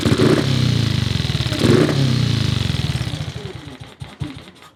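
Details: Paul Brodie's Cub single-cylinder thumps at a fast idle, then slows, stumbles and dies. The idle screw seems too short to raise the carburettor slide enough to idle, and a spare screw is the same length. Cause unclear.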